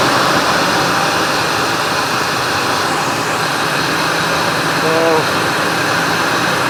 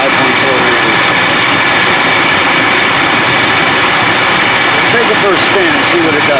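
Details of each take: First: 1999 Ford Expedition 5.4L Triton V8, after replacing idler and tensioner pulleys and new belt: engine runs steady with no squeal, chirp or bearing rumble; belt noise gone, drive healthy. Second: 1999 Ford Expedition 5.4L Triton V8 with new belt showing wear within a day: engine running with a thin steady whir above idle; worn tensioner pulley blamed, matching the wear mark on the belt.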